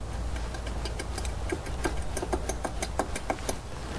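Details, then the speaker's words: 2008 Toyota Prius (Gen 2) with a bottom-end knock, heard from under the engine at the connecting rod caps. Light metallic ticks roughly twice a second over a low hum, uneven spacing; two rods are super loose. Rod knock. "and then this one here both super loose so hopefully you can hear that"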